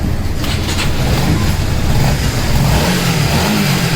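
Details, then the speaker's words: Honda CBR 150R Repsol after repair: two torn radiator rubber mounts let the iron radiator guard knock against aluminium; fixed, engine fires and revs cleanly with smooth even note, extra rattle noise gone. "একটা extra sound হয়তো noise, সেটা আর হচ্ছে না।"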